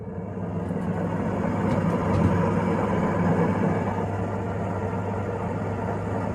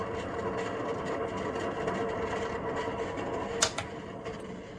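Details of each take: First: Range hood sirocco fan over 20 years old, after disassembly and oiling of the motor to cure intermittent loud metallic noises and stopping; now a steady, even hum with a low drone, no scraping or rattle, running smoothly. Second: Kitchen sirocco-type range hood fan over 20 years old, run continuously against condensation, sometimes stops; steady fan rush with faint hum and uneven rough rattling, noise varies by day (booming or metallic); dry or worn motor bearing suspected, motor oiled as fix.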